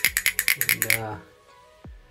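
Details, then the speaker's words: Symmons Temptrol shower valve spindle shaken during seat-kit repair: about ten sharp metallic rattles then quiet; a healthy spindle should rattle like this, while the old broken spindle made no sound and caused the leak. "it should be hearing sound like that like that you hear that sound if you're not hearing it that means this is not really working well"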